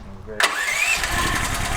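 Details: DuroMax Tri-Fuel XP13000HXT generator on gasoline, choke on, water found in fuel: starter pull then brief ragged firing that won't settle; runs on starter fluid and propane, carburetor jet restriction suspected, no-start on gasoline.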